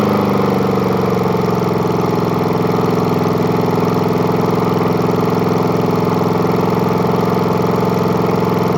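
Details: Murray lawn mower with spare replacement engine, started after repeated priming: steady single-cylinder chug at fast, even idle with no misses or knocks; runs smoothly again.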